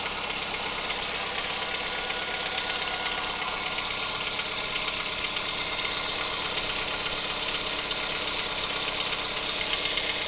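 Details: Kia Picanto 2011 1.2 G4LA, 96,400 km: at idle a light, quick tapping of nearly three per second over the engine. Unexplained engine knock, cause unknown.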